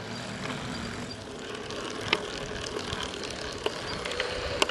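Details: Shimano EP801 mid-drive e-bike motor, second warranty unit with about 700 km, axial play increasing; sharp isolated knocks every crank revolution as the right crank arm passes 1 o'clock, same as the first motor. Cause not confirmed.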